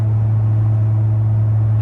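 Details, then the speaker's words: Tuned, deleted L5P Duramax with 10L1000 transmission and 5-inch exhaust, shifting from 9th into 10th gear at light cruise: a deep, steady one-pitch boom fills the cab. This is exhaust drone. "you can't, there's a lot of drone from this exhaust, 5-in exhaust."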